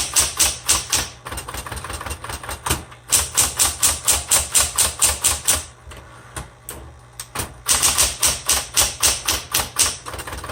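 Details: 1960s Smith Corona Coronet electric typewriter, repainted, color selector on black: crisp key strikes about four per second in bursts over a faint motor hum; typing cleanly, slightly noisy.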